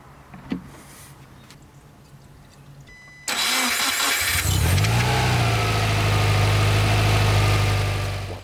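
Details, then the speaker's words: Subaru Impreza rebuilt boxer engine with reconditioned heads and new parts, restarted, head gasket issue to be confirmed on road: starter whirs, engine catches, settles into steady even idle, no knocks or ticks; all looks good. "tout a l'air bon."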